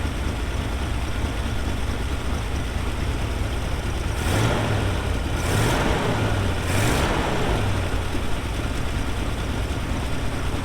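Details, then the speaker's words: 1975 square-body dump truck V8, just started, deep lumpy idle with a faint puffing tick on each firing pulse; exhaust manifold gaskets leaking. "Holy cow, these exhaust manifold gaskets, I already hear that."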